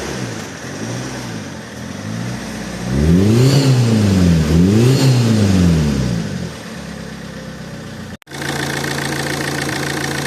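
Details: Alfa Romeo GT 1.9 JTD diesel revs twice then idles, with an odd extra noise near the common-rail pump that appeared after a turbo replacement and grew louder each km; exhaust manifold leak checked and ruled out, cause unconfirmed.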